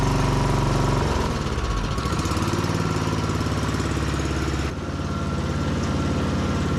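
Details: Yamaha YS624T snow blower after electric-start and recoil repair and carb cleaning, choked, medium throttle: electric starter spins it over, engine catches within a second and settles into a steady, even beat with no misses; normal running after start.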